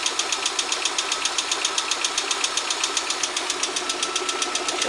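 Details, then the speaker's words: VAZ 124 16-valve engine (2110-12/Priora), hot near 90°C, oil pressure about 2 bar at idle, 3.5 revving: crisp regular ticking about twice a second over quiet idle, coming and going after head rebuild; cause unknown. "До 3,5 поднимается, когда газуешь. Все, перестал стучать. Вот что вот, блять, ему надо? То стучит, то не стучит, то стучит, то не стучит."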